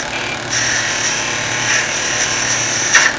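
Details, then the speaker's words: Skew chisel cutting a bead on a wood lathe: a steady high hiss of the cut, then a sudden sharp bang as the tool turns and digs in. A skew catch that leaves a deep spiral cut and ruins the bead. "there that's what's going to happen as you practice and when you look at this really close you've got a great spiral cut in here it's pretty deep and it's pretty terrible"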